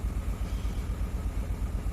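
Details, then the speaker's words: 2003 Honda Accord V6 on first start after an engine swap: low, lumpy idle with a steady hitch where one cylinder drops out; misfire from a dead ignition coil on cylinder 5. "So I'll let it run a bit and then I'll check for codes to determine what cylinder isn't firing."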